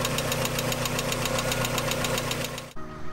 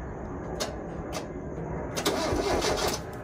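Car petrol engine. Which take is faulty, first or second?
first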